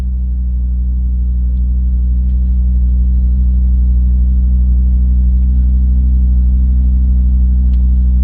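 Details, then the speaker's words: Volvo V50 T5 cold start after sitting 15 hours. A steady, low, gong-like droning hum at idle with no exhaust manifold squeal. It is a new cold-start noise that goes away after about a minute of warm driving; the source is unidentified and probably unrelated. "and see it's most likely unrelated but that did sound is gonna be here once it drops down on idle"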